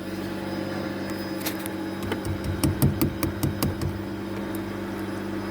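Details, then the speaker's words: 2007 Nissan Wingroad WEY11 QG15 at key-on after the fuel pump connector was replaced and heat-shrunk; soft steady hum with a short run of light ticks as the pump primes, normal. "So you will hear the pump prime. Right, so we hear the fuel pump."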